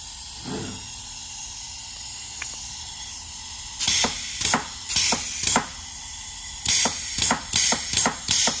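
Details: Eaton Fuller FRO16210C ten-speed transmission shift top plate from a customer truck, water and rust damaged after the air system filled with water: sharp hissing air bursts about every half second with each range shift; air escapes around the damaged bore despite a brand-new modulator.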